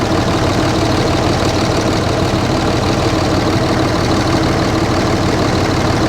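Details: RAM 3500 dually diesel at a dealer auction, low on fuel: even, steady diesel clatter at idle with no missing beats or heavy knock; healthy-sounding idle, no blow-by seen.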